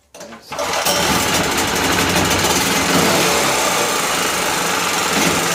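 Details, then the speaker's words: Powerwise 3500 W (3000 W rated) 120/240 V generator, carburetor jet previously broken: starts then runs flat-out at a high, harsh, unchanging speed; governor not working, no governor action, engine overspeeds. "well gang this is a disappointment actually um the governor's not working there is no action from the governor"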